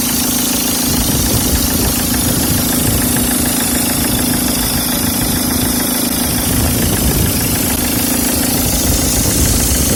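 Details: Peugeot 306 HDi diesel at idle: steady low drone with a constant whirring hum from a noisy power steering pump.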